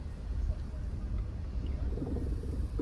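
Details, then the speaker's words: Tesla Model S driven slowly over a drain grid: low, uneven rattling and thudding from the front suspension, ending in a sharper knock. Wheel-up checks found no free play in the joints. "so there is something rattling here as you go over a drain grid"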